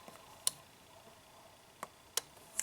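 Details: 1998 Saturn with about 300k miles that overheats on hills and in town because its radiator cooling fan doesn't kick on: the cooling fan relay, toggled on and off from the fuse box, gives crisp single clicks. The relay responds normally.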